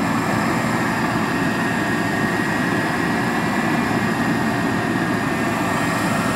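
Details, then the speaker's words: 1997 Buick LeSabre Custom heater blower motor running after being tapped with an ice scraper, a band-aid rather than a permanent fix; steady airy whoosh at even speed with no ticking, rubbing or squeal. "hit this you tap it hear it hear it you hear it voila your heater is working now"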